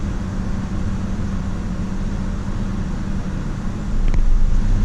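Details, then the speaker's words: 2009 GMC Canyon with an intermittent stalling complaint and code P0017 suspected. A steady low idle rumble, then the rpm sags and recovers and the check engine light comes on: idle rpm dip, cause suspected. "see that it just did it I'll probably do it again"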